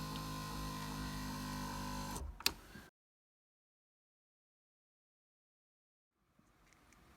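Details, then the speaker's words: Power seat motor after vacuuming and lubricating the dry seat-track screws: steady, even electric whir for about two seconds that stops cleanly, no grinding or straining, noticeably easier-sounding; normal operation. "And you'll notice a huge difference in the sound of the electric motors that power your seat. It's like you're giving them a breath of fresh air."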